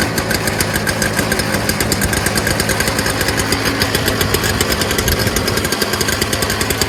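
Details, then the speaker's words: Early-2000s Toro Snow Commander 7HP R-Tek 24-inch single-stage two-stroke snowblower after a fuel system fix; quick, even firing with no misses or surging, smoke cleared after running a while, running cleanly. "so after running for a little while smoke is cleared out it's no longer smoking as much"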